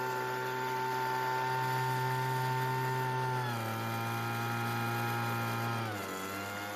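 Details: Weedeater two-stroke leaf blower, recently bought no-start: steady high-pitched buzz holding even, then easing down in two clean steps off throttle with no stumbling; normal running.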